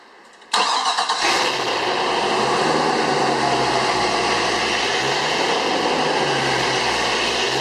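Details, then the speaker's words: 2007 Cobalt 252 Bowrider, MerCruiser 496 Mag 375 HP sterndrive, first commissioned 2008, 109 running hours, fully serviced: a brief crank, quick clean catch, then a smooth, steady V8 idle with no knocks or misses; normal start and idle. "We'll fire the boat up here quickly and let you hear the engine starting and running."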